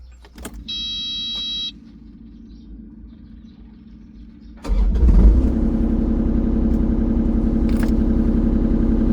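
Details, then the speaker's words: Excavator that would start then die, after fuel filter replacement and two-minute key-on fuel pump priming: key-on chime, pause, engine catches immediately and settles to a steady even idle; no major problem. "자, 시동이 걸렸네요. 다행히 별 큰 문제가 아니어서 다행이네요."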